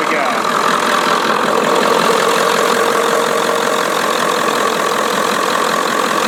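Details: 1996/97 Ford F-250 7.3 Powerstroke with veggie-oil conversion, sat 10 years, just started and warming up after ether: steady, even diesel clatter with no misses or surges; normal idle.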